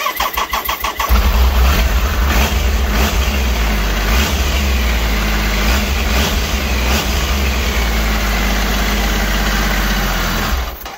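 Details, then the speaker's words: 1997 Triumph Trident triple, previously running on two cylinders, run from a temporary fuel tank with little fuel in the float bowl: catches quickly and settles to a steady, even idle on all three cylinders. "there you go there's not much fuel in float Bowl so just a quick one but uh anyway it's running on all its cylinders now"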